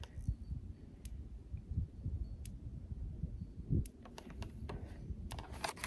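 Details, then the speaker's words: Rural King Country Way electric fence charger connected to the wire for a pig paddock: sharp single clicks about every second and a half, steady and even, energizer pulsing normally. "I can hear it clicking, so I know it's working."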